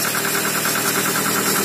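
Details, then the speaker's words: Toyota RAV4 started completely cold after sitting two days without starting, following a temporary fix of the ignition wires; steady even idle, no stumble or misfire, with a light fast tick the owner attributes to a lifter (compensator); normal idle. "Так ну что мотор совершенно холодный Но работает ровно чуть-чуть немножко какой-то компенсатор подступит"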